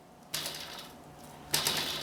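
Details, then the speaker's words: Bicycle with a loosened quick-release skewer: two short metallic clicking rattles each time the wheel is shifted, the washer on the quick-release moving and able to creak constantly while riding. "what's gonna happen when you ride this Volvo washer there's a washer right there they'll be making the noises all the time"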